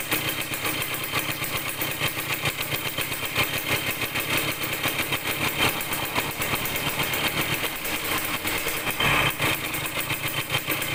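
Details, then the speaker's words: Yamaha DT100 two-stroke after tightening a loose exhaust-neck nut that was leaking: crackly buzz that won't rev out cleanly; poor throttle response from a mistuned carburetor air screw, later improved by adjusting it. "รู้สึกว่าเร่งมันไม่ออกเร่งแล้วไม่ออกนะครับเดี๋ยวผมต้องลองจูนอากาศใหม่ก่อนนะครับ"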